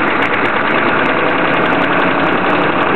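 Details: 1993 Chevy diesel truck idling rough: the whole truck shakes at idle with no tailpipe smoke and steady-looking blowby. Revved above the low band, the diesel clatter runs fairly steady and the shake largely smooths out, then returns.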